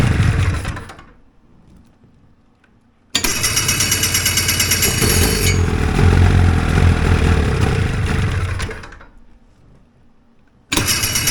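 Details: Hovercraft engine with fuel supply unhooked catches and runs rough and uneven, sags and dies, then fires again; fuel dripping out, carbs flooding.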